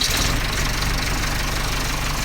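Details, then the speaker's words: John Deere 310C backhoe diesel after fixing sudden loss of power by clearing gummed-up fuel filter: steady even idle with normal light clatter, no misses or surging; full power restored. "the tractor is running well again it has full power we're able to sift through our dirt so it seems as though that was the problem"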